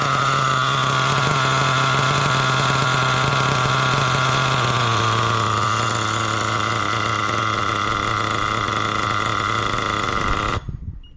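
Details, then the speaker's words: Nitro RC engine fitted with a non-original carb, after lowering the idle, reading about 199–201: a high, buzzy idle that sags, fades and stalls. Low-speed mixture still too rich. "So I think it's still a little on the rich side. Okay, so I saw 199, 201. Okay, so we're getting close. Definitely getting close. Oh, and she died. God. See, still super rich."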